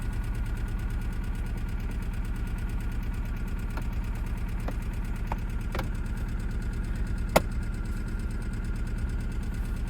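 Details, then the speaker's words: Cheap budget race car started after sitting a while, check engine light flashing: low, rough idle with an uneven, stumbling beat and skipped pulses; scan shows cylinder 2 and 3 misfires, suspected from stale fuel, with a possibly blocked catalytic converter. "oh quite up that was easy got a bit of a t but it's also got a check engine so I got a feeling it's misfiring"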